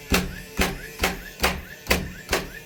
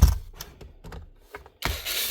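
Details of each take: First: DeWalt DCN660 Type 1 cordless nailer tested after replacing a broken firing pin (driver assembly): ten crisp, even shots at about two per second in bump mode, each a sharp clack with a short ring. Nailer fires normally after repair. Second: DeWalt DCN660 cordless nailer fires but leaves no mark in the timber; loose clicking and rattling inside the body when moved points to a broken driver blade (firing pin) inside the driver assembly.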